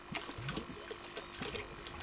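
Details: Homemade micro wastewater treatment station with an airlift pump, dry test run: quiet, fairly even light clicking and mechanical chatter from the small air compressor, running normally.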